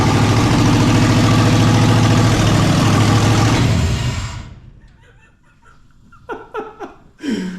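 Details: 1963 Ford Fairlane build on 1997 ECM after rewiring ignition coils, first start in neutral: loud, deep, even rumble for about four seconds, then shut off; runs cleanly and healthy.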